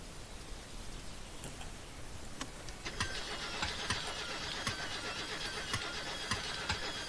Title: MSC Car wont start